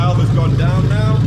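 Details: Lexus LS430 3UZ-FE VVT-i V8 swapped into a Lexus IS200 with plug-and-play harness, J160 manual gearbox and remapped ECU, started on first test: catches and settles into a steady, even low rumble with no misses or knocks; normal start.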